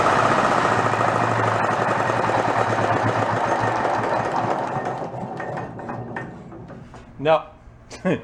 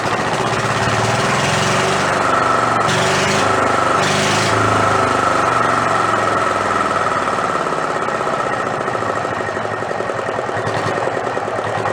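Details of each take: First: Renault single-cylinder marine diesel, spare that sat about 20 years in a shed, being coaxed to idle. It chugs unevenly at about four beats a second, then stumbles toward stalling as fuel empties fast from the cup reservoir; bad line suspected. Fuel starvation. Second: Renault single-cylinder marine diesel revived after about 20 years in a shed, with fuel now through the pump and throttle all the way down. Loud, even thumping of about four beats a second, raw with no exhaust fitted. Won't shut off without starving the air. Normal running.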